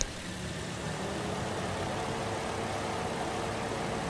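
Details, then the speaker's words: Toyota Vios after throttle body cleaning for engine noise when hot and low idle: steady even idle with faint fan whir, aircon switched on, no misses or shake; idle holding fine under aircon load. "Tapos ang paso. I-on ko itong aircon niya mga boss."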